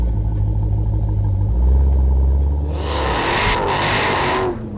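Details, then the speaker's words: 1000 hp Dodge Challenger V8 after swapping the straight pipes for MagnaFlow xMOD straight-through mufflers: deep, smooth rumble swelling into a clean rev with a brief rush; even, refined exhaust note, nothing amiss. "we're replacing the straight pipes with the included magnaflow mufflers the straight through design controls the exhaust note for daily driving but keeps the iconic magnaflow sound"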